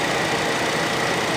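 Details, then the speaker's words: 2018 Hyundai Accent, misfiring after an ignition coil exploded, now idling after the coil was replaced and the damaged engine computer repaired: a steady, even idle with no misfire or stumble. "So 'yun. Awa ng Diyos hindi na siya palyado ngayon yung andar niya wala ng kapalag-palag"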